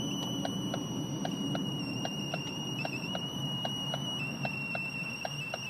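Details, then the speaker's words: Ford Focus 3, on a 30–34°C day: thin high-pitched squeal with faint rapid ticking about three per second in the cabin, persisting with engine off and key removed; owner thinks it comes from below; source not yet found. "Как слышно звук не пропадает зажигание выключил полностью вытянул ключ она пищит"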